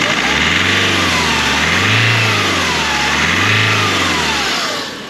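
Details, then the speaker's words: 2005 Nissan X-Trail turbo after fitting a new air filter (one was missing), revved: pulls up cleanly through two blips and drops back evenly with strong turbo whistle; sounds healthy, much better than before. "well that sounds 10 times better"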